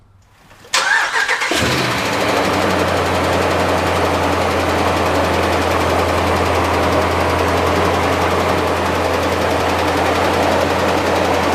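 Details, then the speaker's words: 5.7 or 6.4 Hemi V8 with MDS (cylinder deactivation) lifters, at idle: light, fast ticking over the low rumble whenever idling, not only on cold start, from lifter failure. "this one anytime the car is at idle you'll hear the car start ticking like"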